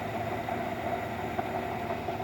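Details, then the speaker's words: 2013 Chevrolet Silverado engine idling with a faint steady scraping hum from the pulleys; owner suspects alternator, A/C, tensioner or water pump and will remove the belt to spin each pulley. "Puede ser el alternador, puede ser esta, puede ser allá, puede ser la bomba de agua, ahí se escucha un ruido como que raspa."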